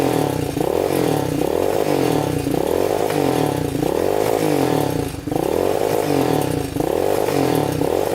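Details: Yamaha Warrior 350 quad, unknown year, first start on a jump after a dead battery, before repairs: single cylinder surges and sags in waves, never clearing to full revs; bogs at full throttle.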